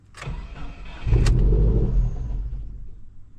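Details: 2016 Subaru WRX bought from a Copart auction, with the mass air flow sensor plugged back in and live data values still reading zero. The starter spins briefly with a rising churn, but the engine never catches. Crank, no start, later traced to a plugged intake.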